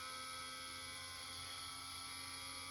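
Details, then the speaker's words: Recharging the expansion vessel of an unvented cylinder, meant to be pre-charged to 3 bar but reading 0.1, with the hot tap open; faint steady high-pitched whine and hiss, source unknown. Suspected knackered diaphragm that was sticking and popping. "So yeah, we'll see. God knows what that noise is. So what that's doing in there now is forcing up a diaphragm at a balloon, filling it with air, and obviously pushing out any water that was in that vessel out of this hot tap."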